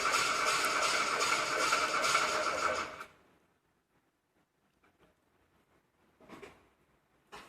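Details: VW Golf 2: about three seconds of steady starter churning, roughly three turns a second, then silence; engine spins but never fires. Cranks but won't start.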